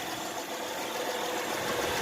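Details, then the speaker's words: 2011 Honda Pilot 3.5L V6 just after Amsoil engine flush and oil change to 4.5 quarts of Amsoil Signature Series 100% synthetic 5W-20 with new EA15K13 filter, started up: quiet, even, smooth idle, no knocks or ticks; normal idle. "4.5 quarts in, Jim's gonna start her up. And sounds good and smooth."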